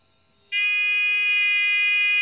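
Out of near silence a steady, piercing electronic squeal switches on and holds evenly: the pinpointer is alarming on a target as it should.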